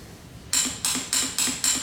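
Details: Motorcycle that makes a click-click noise but won't start: five sharp metallic clicks about a quarter second apart with no cranking, from a starter solenoid with burnt contacts, before repair.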